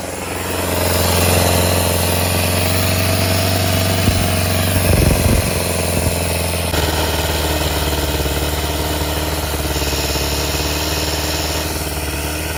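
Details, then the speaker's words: Volvo petrol engine (owner notes it is gasoline yet runs like a runaway engine) idling fast and loud with a steady drone that wavers and dips, then settles high again; runs better after work but cause unknown, dies when choke pushed in. "okay guys so that's the way she runs she runs better now but still I have no idea why it's doing that"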